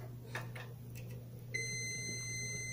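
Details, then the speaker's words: Philco PMS24 microwave that makes a loud strange noise and does not heat, being repaired on the bench: quiet room with low hum, then a steady high multimeter continuity tone through the fuse feeding the transformer; the fuse is good. "aí ó o multímetro apitou e me informou que esse fusível está bom tá pessoal"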